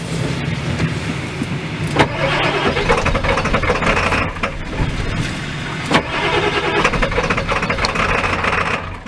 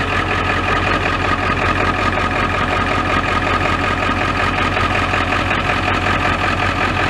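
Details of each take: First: Ford F-350 XL 7.3L Powerstroke turbo diesel cold start: long labored cranking with uneven catching before stumbling into rough cold run, throttle held to keep it running; very hard starting, cause not identified. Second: Ford F-350 XL 7.3L Powerstroke turbo diesel, warm engine restarted and starting instantly; steady low diesel clatter with even rhythm, no stumbling: normal warm idle.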